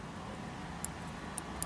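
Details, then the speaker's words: 2007 Toyota Sienna power rear door latch micro switch, tested by moving its spring with a screwdriver: three sharp ticks over low hum; switch clicks normally. "I can feel it clicking, and I can hear it too."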